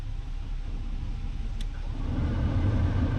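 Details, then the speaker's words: 2002 Chrysler 300M HVAC: with the module's signal wire cut, the blower motor spins up with a steady low whir and holds; the blower motor control module is shorted internally, and the blower motor is also faulty. "You guys can hear the blower motor spin. So we do have a faulty control module for the blower motor, and we have a faulty blower motor."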